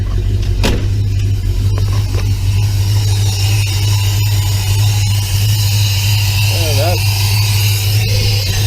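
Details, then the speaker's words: 1966 Plymouth Belvedere 440 Mopar V8, first start after FiTech EFI install with idle set at 800: steady, strong, fast idle with no dip or stumble; idle is high, "that's a lot". "I don't know but that's that's a lot"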